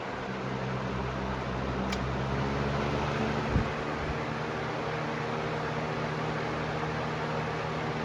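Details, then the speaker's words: 2009-10 Galaxy 4733 20-inch box fan on high: steady soft whoosh with a faint low hum and no rattle or ticking, quieter than newer fans; normal fan running. "Yeah, this is definitely quieter than the newer ones, even on high."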